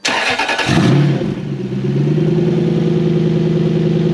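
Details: Toyota 3UZ-FE V8 after reflashing a dealer-bricked ECU, fuel pump in a bucket: cranks, catches quickly and settles into a smooth, even idle with steady tone; engine runs, with only a brake light switch circuit fault code.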